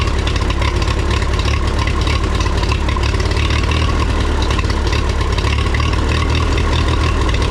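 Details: 1954 Minneapolis Moline UBU tractor after tune-up (new plugs, wires, cap, rotor, points, condenser, carburetor cleaned, timing adjusted; points lead touching distributor fixed): low loose thump at idle, about three beats a second, no misses or knocks; normal idle.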